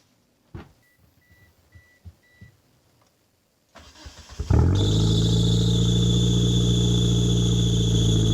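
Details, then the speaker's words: 1997 Mitsubishi Eclipse GSX that sat for almost 5 years, with new alternator, thermostat and cooling cap, on a cold start: catches into a fast cold idle with a steady high squeal from a slipping accessory belt. There is also an exhaust leak at the front, with no gasket. "Of course there had to be a belt squeal to ruin it, but let's give it some revs."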